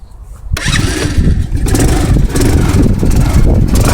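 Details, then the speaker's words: Riders Super Cub 110cc (Chinese Honda C90 clone, air-cooled single 4-stroke) cold start after sitting since yesterday, in neutral with choke: catches after a moment and settles to a busy, slightly uneven tick-over; nearly always needs choke. "You pretty much always have to use the choke. Now I've not actually started this bike since yesterday, so I'll give you a demonstration of what it's like."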